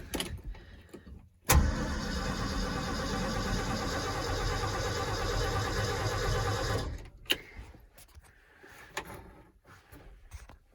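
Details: 1971 Ford F250 Highboy with overhauled engine, cold start after sitting since September, snowy weather: brief crank, catches quickly into steady even low idle, no misses; slight exhaust manifold donut leak; healthy cold start.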